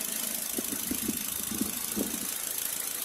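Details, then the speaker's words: Engine idling with one fuel injector connector deliberately unplugged: quiet idle with irregular, stumbling thumps about every half second and stronger vibration. The dead cylinder misfires as if starved of fuel. "Ah okay nakita niyo ito yan oh sana nakita niyo yung nginig niya iba lumalakas parang kinakapos ng gasolina"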